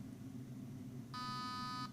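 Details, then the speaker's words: T238 optical MOSFET (digital trigger unit) in a V2 gearbox gel blaster: two clean electronic beeps counting values in the setting menu while setting pre-cocking, apparently to 4 of 6. "So what you do is you wait for the number that you want, and then you pull the trigger. So I've just set that to the 4 out of 6 for pre-cocking, I believe."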